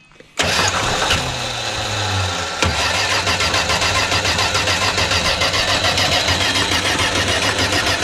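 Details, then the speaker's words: 1978 Plymouth Volare slant six, first start after sitting a few years: rough catch, then fast uneven tapping about three or four a second over idle; owner unsure whether engine knock or exhaust leak. "What is that? That did not sound good. Is that engine knock or exhaust leak? It definitely sounded like an engine knock,"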